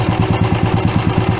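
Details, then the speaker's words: Carbureted single-cylinder motorcycle, throttle screw turned up after starting: putt-putt firing fast and even, about nine beats a second, well above a lazy idle; idle speed set too high. "And मैं throttle स्कूर को थोड़ा ऊपर करने वाला हूं ये आप देख रहे हैं रेस थोड़ा ज्यादा इंक्रीज हो गई है"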